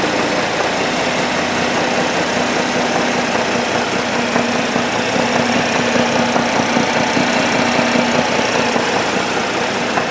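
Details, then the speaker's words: 2010 Cadillac CTS idling with a dull, loosely regular knock, about two to three a second, under a busy hiss; a knocking heard from the engine. "la conclusion de tout ceci on écoute le moteur et on entend une sorte de cognem"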